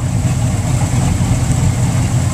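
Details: Mercury boat engine at idle in the water at the dock, scanner shows no codes: even, steady low burble with no misses, knocks or hunting; idling smoothly and healthy.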